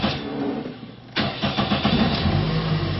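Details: 2001 Toyota Echo 1.5 L after the computer ground fix and clearing codes: it cranks briefly, fires cleanly at about one second and settles into a steady, even idle. The check light stays on for a power steering pressure circuit code.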